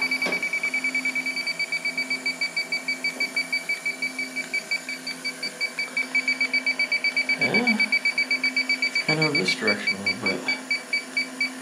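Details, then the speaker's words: Walk-in cooler with refrigerant leak: leak detector beeping steadily about twice per second, evaporator fans off, room too contaminated with refrigerant to get a reference background or narrow down the leak; detector alarming in contaminated area. "so with this contaminated as this room is you're not able to narrow it down very well"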